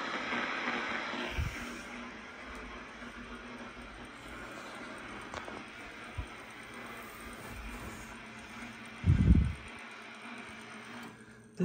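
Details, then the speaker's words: Central Electronics 100V transmitter setup, receiver tuned on 20 meters with a small dummy antenna: constant raspy buzz and hiss over a low hum, with occasional crackles. Power line noise, described as pretty bad. "You can hear the power line noise I have. It's pretty bad."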